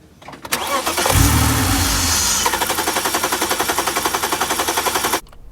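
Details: BMW 323i E46 with M52 engine that has needed a 10-minute wait before starting, later traced to the air flow sensor: starter cranks at a steady beat of nearly four turns a second but never fires; crank, no start.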